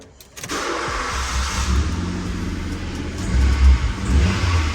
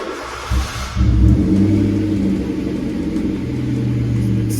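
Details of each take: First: Skoda Fabia 1.2, high mileage, slight misfire needing coil packs, just fitted with a new exhaust and bracket: engine catches and settles into a steady, even cold idle, no puffing or ticking at exhaust joints; normal cold start idle. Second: High-mileage Skoda Fabia 1.2, slightly misfiring, needing coil packs: deep loud drone with blatty low rumble, exhaust leak from a broken-off rear silencer, before fitting a new one.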